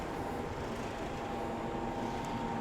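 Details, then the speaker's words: Tunnel dryer for cleaned fire-damaged contents at a restoration center, items pass through and out the back: constant blower rush with faint steady hum and higher tone, no rattles or grinding; running normally. "Yeah, this is a uh tunnel driver dryer. Increases the drying time."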